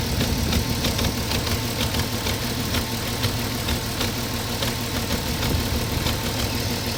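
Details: 2004 Porsche Cayenne 3.2 on LPG, engine cold: idle with a loose, irregular ticking clatter over the engine note, about two per second; noisy when cold, cause unclear.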